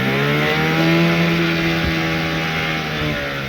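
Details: 15 hp Evinrude outboard after adjusting carburetor float that was filling too slowly and causing it to die: steady smooth buzz at constant speed after running several minutes, no surging or dying; fixed.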